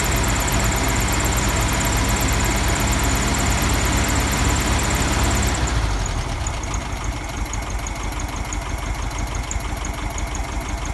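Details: 1971 VW Beetle air-cooled flat-four after swapping the 30/31 PICT for a cleaned reproduction Kafer 34 PICT-3 carburetor: uneven lumpy idle that settles quieter halfway through. Still not running smooth; jets or other issues are suspected.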